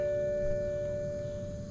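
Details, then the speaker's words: 2008 BMW 535i E60, ignition on, engine off, during coolant bleeding after upper radiator hose replacement: clear steady ringing chime at one pitch; normal warning tone. "And listen to the annoying ring of these BMWs."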